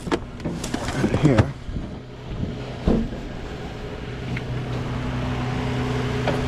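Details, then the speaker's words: 2015 Toyota Sienna with crank-no-start and occasional stalling complaint, started while jumping a circuit with a tool: after handling clicks and knocks, a low, even hum settles in; idling smoothly, still working fine. "So now I can start it up. Let it run. It's still working fine."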